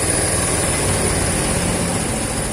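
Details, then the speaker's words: Yamaha Vega/Crypton after swapping its AC CDI for a Shogun 110 DC CDI: fast, even buzzing idle holding steady and revving lighter, idle set too high and needing turning down. "nah ini sudah enak banget ini putarannya lebih ringan dan stasionernya lebih keras"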